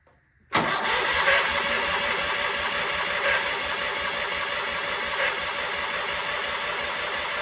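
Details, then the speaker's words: Sears Craftsman FF24 engine cranks steadily with only faint irregular puffs and never fires; fuel is reaching and leaving the carburetor and some exhaust smoke appears, but there is no spark, likely the points. "and then I started realizing that maybe we're not getting spark so that's when I will continue with you now"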